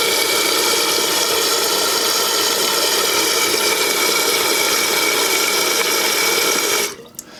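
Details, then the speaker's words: Toilet with new fill valve after tightening the float adjustment clockwise to raise the fill line: steady rushing hiss of water filling the tank, then a clean shutoff near the end. Valve closes properly. "And you'll hear in a minute the water should come back on. Now we want to make sure it's going to fill up to the line."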